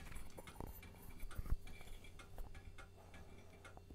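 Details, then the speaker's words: Vintage 1990s Packard Bell A940 desktop, thrift-store find, power-up: a quiet, uneven run of sharp ticks and clicks from the hard drive during boot; awful-sounding clicking, cause unknown. "come on hard drive no innate that sounds awful is this microphone picking that up i can't believe it's actually working"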